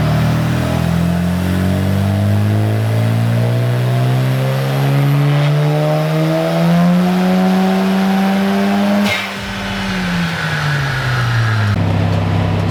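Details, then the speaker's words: Mazda FD RX-7 on a dyno tune: engine note climbs under load, wavers, then drops away as power builds, clutch slipping. Clutch possibly stock or worn, not grabbing fully, adjustment to be checked; cause suspected, not confirmed. "but right now we're hitting a lot of clutch slip when it starts making power and we'll check it out this time"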